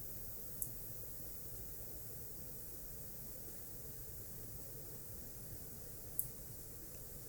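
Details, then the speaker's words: Non-latching relay, 5 VDC coil switching a 230 VAC lamp circuit, voltage slowly raised then lowered, second try: two crisp clicks about five seconds apart; normal relay operation. "I heard 2 clicks. It looked like it clicked on at about 3.6, 3.7 volts, and then when I rolled the voltage back down, it clicked off at about 2 volts."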